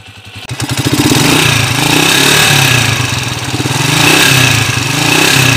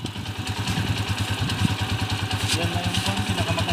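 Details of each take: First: Motorcycle single-cylinder engine (TMX155) runs with loud metallic clatter, owner notes a noisy timing gear and heavy leak; heard before the rebuild with original parts. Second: Yamaha Mio Sporty scooter engine after teardown and replacement with original magneto set, previously noisy timing gear and knock: single-cylinder idles with a steady, even low thump, quiet, no knocking or clatter; normal idle.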